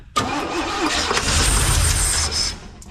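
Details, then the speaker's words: Abandoned 1971 Chevy K-20 V8 after 15 years sitting, just after ignition timing was backed off: catches at once and runs about two seconds with a firm, even burble before dropping away; brief healthy start. "oh yeah sounds good yeah she sounds good"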